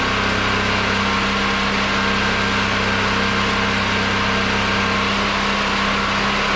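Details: Generator switched from propane to old gasoline after a hand-crank start, charging a battery that was down to 10.9 V (about 12.5 V reached); constant, unwavering drone at fixed speed, no hunting, popping or misfire: normal running.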